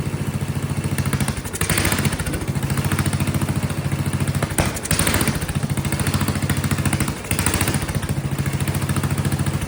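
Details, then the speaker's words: Vintage Kohler flathead generator engine, gravity-fed carburetor likely wanting slight fuel pressure; single-cylinder thumping that stumbles and sags every few seconds. Owner suspects popping-off condenser/capacitor or low fuel pressure, unconfirmed. Rough running. "That's probably a problem. The capacitor, the thing was popping off. So that's probably causing an issue."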